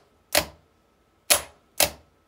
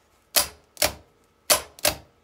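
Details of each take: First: Fiat 126 BIS starter: three sharp solenoid clicks with no motor cranking after them. Current does not pass to the motor winding. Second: Fiat 126 BIS starter motor bench-tested with a battery: four sharp, even metallic clacks as the starter solenoid pulls in. The solenoid works normally.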